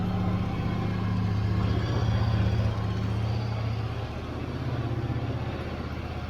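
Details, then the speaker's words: Yamaha V-Star 1100 (XVS1100) V-twin after carb cleaning, airbox off: even, lumpy loping idle holding speed steadily without stumbling; running normally. "sounds like it's running pretty good for having the airbox off of it."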